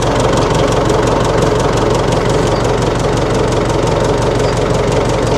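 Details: 1960 Massey Ferguson FE35 4-cylinder diesel tractor, after sitting long in a paddock: steady, even clatter at slow idle with no misses, knocks or surging; engine runs healthy.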